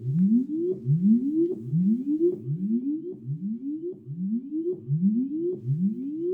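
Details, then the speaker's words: Line 6 Spider Valve MKII tube amp after repair, tested with a tone generator. The previously noisiest pot now gives smooth, clean rising tone sweeps with no crackle or scratch, and the other pots are also clean. Clean potentiometer sweep. "This is the pot that was giving you the most noise. Still, it's nice and clean now."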